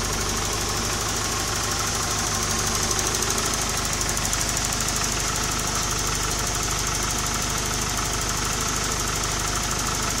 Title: bruit moteur